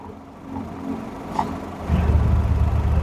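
Low, even engine idle that firms up slightly after a brief bump, with no knocks or misses: a normal healthy idle.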